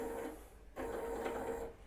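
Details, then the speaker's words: 3D-printed closed-loop timing belt on a stepper motor pulley after one hour of running: steady, even hum with mid-pitched whine; tension unchanged and markers show no slipping between belt and pulley. "and now after one hour it is still running perfectly and i can see that from this arrow and from this marker on the timing belt so this means that there was no slipping between the belt and the pulley"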